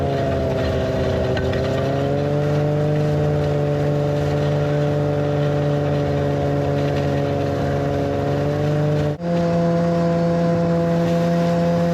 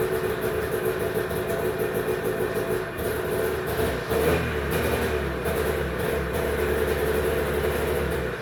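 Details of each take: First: 1991 Arctic Cat Prowler 440 two-stroke snowmobile after revival: carbs checked, fresh fuel, throttle safety switch bypassed, earlier one-coil miss resolved. Steady, even drone under load that dips briefly, then settles a step higher. Flawless after about an hour's riding. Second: 1991 Arctic Cat Prowler 440 liquid-cooled two-stroke snowmobile, stored 4 years: buzzy idle sags, picks back up, then fades and stalls. A faulty spring throttle safety switch kills it; it runs fine held closed and dies when the spring returns.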